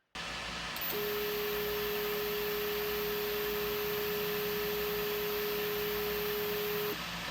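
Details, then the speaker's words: SKR 1.3 board with DRV8825 driver stepping a NEMA17 Z-axis after M122 check: clean, steady mid-pitched whine for about six seconds; normal stepper operation. "So notice how quiet that was. Now we're going to do the Y and see how quiet that is as well."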